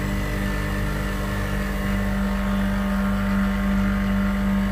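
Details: Refrigeration compressor just restarted after its tripped breaker was reset, drawing around 6.5 A: steady even hum with constant low tone, no knocks or surging; running normally.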